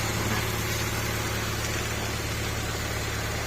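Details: Honda CR-V 2nd generation, after replacing a faulty ignition coil/spark plug part that caused stumbling misfire: even, steady idle with smooth low hum, no stumble or misfire; engine now running cleanly.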